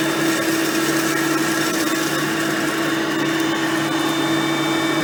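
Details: Hoover Platinum Collection lightweight bagged upright with a digital on/off switch, on high speed: steady mid-pitched motor whine, unbroken, no rattles or surging. Normal running, quiet direct-air vacuum.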